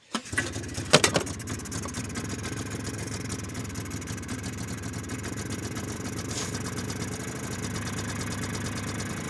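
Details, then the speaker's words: 2001 Polaris Xplorer 250 4x4 two-stroke bought cheap: few cranks, then catches and runs ragged, uneven, smoking heavily, only on starting fluid; carburetor not feeding fuel. "she's only running off the starting food I put in there though so we'll probably have to definitely get in that carburetor"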